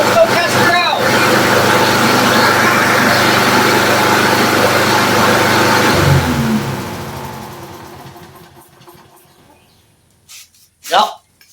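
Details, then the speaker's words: Troy-Bilt push mower after carb cleaned with pipe cleaners, started with starting fluid: small single-cylinder fires up and runs with a quick, even beat before shutting down; healthy running mower. "didn't feel like undoing my Panduit strap up there, but I say that's a good running mower now."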